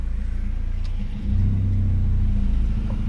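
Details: Honda Civic VTi VTEC manual after idle adjustment, AC switched on: steady low idle settling slightly deeper under AC load, holding even with no misses; healthy idle.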